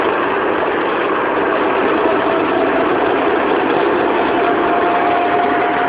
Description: Proton Saga 1994 1.5L Manual giving out weird spinning noise when accelerate... anyone can trouble shoot?